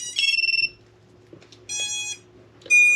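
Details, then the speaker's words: Quadcopter ESCs running BLHeli-S firmware, powered up before flashing Bluejay firmware: three short, bright tone bursts, the standard ESC startup beeps plus the quad's beeper, all normal. "you can hear your standard beeps there and me beeper going"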